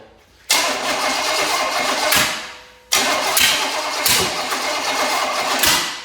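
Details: Small block Chevy engine of unknown condition, cranked after priming with fuel and brake cleaner. Two bursts of fast, even cranking about two seconds each with no firing; turns over but won't start. A possibly stuck valve is suspected.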